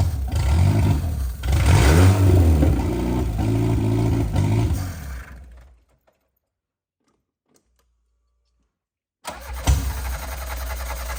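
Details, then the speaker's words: Audi 80 non-starter running on brake cleaner with 98 fuel, injector giving no fuel: starter turns engine about two turns a second with no catch, then stops; brake cleaner didn't help. "R: It appears not U: What? R: Doesn't seem like it helped"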